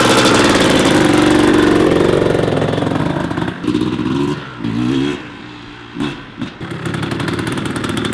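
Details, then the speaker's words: 1994 Kawasaki KX250 two-stroke after rebuild, after third heat cycle: crisp revving and clean throttle blips with no misses or knocks; transmission shifting smoothly, engine sounds healthy, normal running. "so everything's feeling good on the bike after the third heat cycle the transmission is shifting smooth like butter as much as i can tell without beating on it has the power engine sounds good and healthy"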